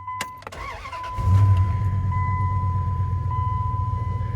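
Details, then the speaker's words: 2001 Dodge Ram 1500 with under 120,000 miles: a chime, then a quick crank and a smooth idle. It previously wouldn't crank because the shifter wasn't fully in park; once seated, it starts normally. "no problems now just the seat belt light there's all but everything's fine you can hear the motor"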